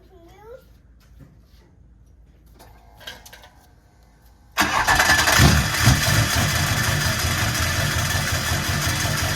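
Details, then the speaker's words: Duramax LB7 diesel in a single-cab short-bed truck, no throttle response: loud idle with repetitive knock about three per second under the clatter; flywheel hitting or starter hanging up suspected, not confirmed. "Sounds like flywheel or something's hitting down there or starter's hanging up or something. >> Yeah, >> does not sound good."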